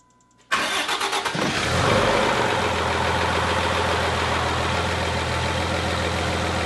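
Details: Freshly rebuilt 5.9 Cummins in a Megacab, first start before head stud retorque and valve lash: brief cranking, then the engine catches and settles into a steady, even diesel idle with a low rumble.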